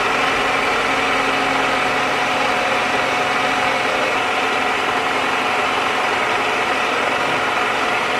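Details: 2001 Toyota Camry started after water bypass pipe leak repair and coolant refill: steady, even idle with a smooth hum, no misses, knocks or hiss; no leaks; normal idle.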